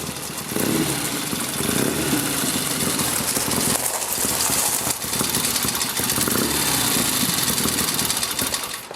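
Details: 1972 Triumph Tiger 650 twin, long parked, after cleaning and adjusting the Amal carburetor and points: catches and runs with a raspy exhaust, revs wavering then settling toward a steadier idle; running properly.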